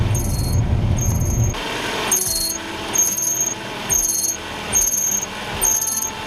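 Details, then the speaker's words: Hyundai Sonata (TagAZ), cold engine idling while steering is turned slightly left-right: shrill chirps about once a second. Suspected power-steering belt squeal is actually the alternator belt slipping; fix is re-tensioning it with a 12 mm wrench. "На самом деле, ребята, это пищит не ремень ГУРа, а это пищит ремень генератора. Да, это так, как бы странно это ни звучало."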